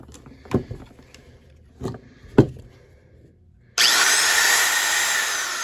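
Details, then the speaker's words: Auction-find Milwaukee die grinder, newly fitted cord, test run before fitting a proper plug: handling clicks then a smooth, even high-pitched whir with no rattle or surging; runs healthy. "Sounds good. Unplug it."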